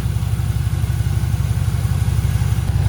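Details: Range Rover P38 engine at a deep, even idle with a steady low beat around three pulses a second, no knocking or bearing whine, after bearing-noise repair (water pump; alternator and aircon compressor also suspected) while refilling coolant; normal idle.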